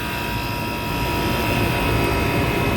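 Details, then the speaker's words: Walk-in cooler condenser after fan motor replacement, direction reversed, coil cleaned, drawing 0.39 A of 1.1 A allowed: smooth, constant airflow rush with steady tones, no rubbing or surging; normal condenser fan operation. "they're both spinning the correct speed it's just a camera making a look wacky we're running .39 amps and we're allowed to run 1.1 so we're good"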